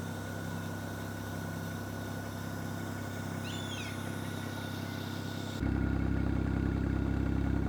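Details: BMW 335i E92 N54 with rebuilt engine after fire damage; earlier misfire and uneven running caused by unplugged vacuum line to exhaust manifold flap, now reconnected; smooth even idle with steady pulse, no stumbles; normal idle.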